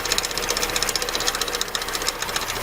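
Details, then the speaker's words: VAZ (Lada) engine at cold idle: sharp, rapid, evenly spaced tapping, loudest at the front. Suspected valve or the bearing-mounted oil pump drive shaft (not the water pump); play found at the auxiliary shaft pulley. "Смотрите, как блок болтается, шкив. Вот этот может тоже давать стук, да?"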